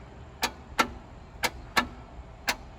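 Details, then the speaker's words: Abandoned 1977 Chevy Camaro with a formerly near-locked engine: sharp single clicks about once a second on each key try, with no cranking. Owners suspect a shot starter, not confirmed. "Yeah, I think that starter, it's shot."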